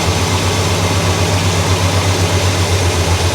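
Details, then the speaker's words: 1965 Cadillac V8, after a repair following a fuel smell and breakdown: idle being turned down because it was too high and dieseling at shutoff. Now a low, even burble at a steady slow idle with no misses; she sounds happy. "There we go. Maybe just a hair more. She sounds pretty happy right there."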